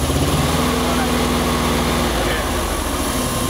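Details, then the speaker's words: 1998 Chevy van 5.7 V8 idling with an uneven, stumbling exhaust pulse from a constant multiple-cylinder misfire; work recently done elsewhere, before a test-light RPM drop test; no-crank fault was fixed by cleaning a corroded, loose battery positive cable. "Okay. Running horribly, as you can hear."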